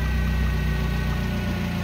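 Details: Nissan forklift with an E27/P0335 crankshaft position sensor code and extended crank, after fitting a new crank sensor: smooth, even low idle with no misses or knock.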